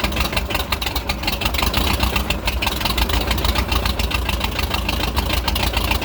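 Uneven, lumpy idle with irregular stumbles and a pulsing beat after the revs drop; engine idling roughly, cause not evident.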